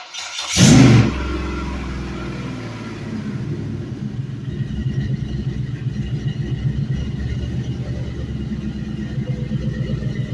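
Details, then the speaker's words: 5.3L LM7 Gen 3 V8 from a 2004 Suburban, 140k miles, drive-by-wire, on a test stand; cranks, catches and settles into a smooth idle, lifters quiet, no ticking, no smoke, no belt squeak. "smooth lifters are super nice and quiet I love how quiet this one is no smoke"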